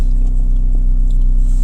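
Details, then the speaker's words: 2012 GMC Terrain, just started with newly programmed key after a flat battery, in gear strapped on trailer, cold day: steady low rumble with faint regular puffing pulse; definite exhaust noise, cause unclear (camshaft actuator solenoid code present). "I'm on the trailer Still Still strapped down so obviously I can't go too crazy here um definitely hear an exhaust noise"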